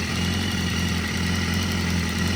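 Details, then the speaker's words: 2014 BMW S1000RR salvage bike test run with no coolant: steady four-cylinder idle with a faint extra puffing hiss from a small exhaust leak at the tweaked front right header. "But that exhaust pipe is washing it. A little bit of an exhaust leak."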